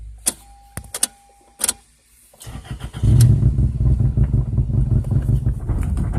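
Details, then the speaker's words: 2002 Toyota Corolla LE 16-valve with a bad motor, 173,000 on the odometer: clicks, then finally catches into a lumpy, shaking idle that won't settle or take throttle; hard starting and rough running. "takes forever to start wouldn't even let me it won't doesn't even let me push the throttle now that motors shake holy holy"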